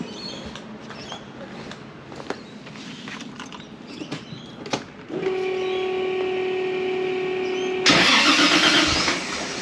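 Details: Toyota Supra after cleaning dirty Bosch 2000cc injectors and refitting them: five seconds of rough starter churning, then it catches and revs; slow start, owner suspects air in the injectors, not confirmed.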